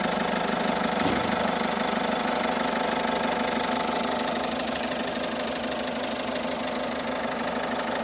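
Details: 2012 Peugeot 207 HDi diesel at idle: steady idle with a regular knock about three times per second riding on top; the cause is not identified.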